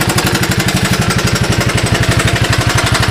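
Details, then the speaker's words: 1982 Honda ATC185 after replacing a carburetor with an open vacuum port, briefly choked: single cylinder idles slow and even at about four pulses a second, with no more popping. "see the way it idles nice and slow"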